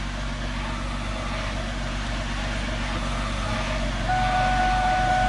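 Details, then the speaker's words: 2001 Mustang V6 idling in the garage while the clutch pedal is pushed in and out: an even idle, then a steady high whine appears with the pedal down, from a failed clutch throwout bearing, clearly audible outside the car. "That's the throwout bearing. You actually hear it pretty well outside the car too. That's me pushing the clutch in and out."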